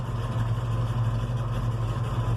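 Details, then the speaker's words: Ford 460 V8 with rebuilt Holley 4180 carburetor running rich: deep, slow, lumpy idle around 500 rpm, too low. "but uh oil pressure should be low because I'm in like 500 rpm right now"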